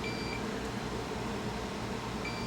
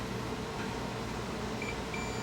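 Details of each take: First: Dead household fan motor, multimeter in continuity mode on the winding, copper exposed where insulation should be: continuous beep shows the winding shorted, fused together and burned out; motor can't be repaired. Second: A meter across the thermal cutout of a fan motor whose coil burned out: a couple of short high beeps over a steady hum show continuity, so the thermal cutout is still good.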